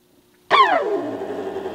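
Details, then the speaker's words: Small motor labouring with a falling whine into a coarse buzzing hum as it stalls under load; its thin leads warmed. Owner was advised to file the part down and oil the end bearing; cause not confirmed. "Of course these are thin leads, and these got warm a little bit when this motor stalled."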